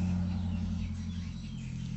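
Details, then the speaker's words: Old-model active speaker without Bluetooth, after repair of its hum fault, powered on with no input: the hum is gone, and touching the input brings a steady low hum that fades a little, which is normal. "Getaran ahah ini biasanya kalau udah seperti ini ini normal ya teman"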